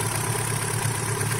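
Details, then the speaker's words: Vectra engine at idle after adding Motorkote100 engine treatment; steady, even low idle with a light belt whirr, no knocks or vibration, normal idle. "mostrar para vocês o barulho do motor tá aqui agora dá para você ver praticamente aí Só o barulho da correia aí e o barulho normal do motor"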